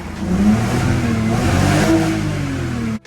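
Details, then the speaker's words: E46 BMW 325xi with P1349 cylinder 4 misfire/fuel cut-off code: idle misfire clears when revved, engine revving cleanly with an even, steady note and no stumble or skip. "the misfire go away, guys. Like when you rev it up."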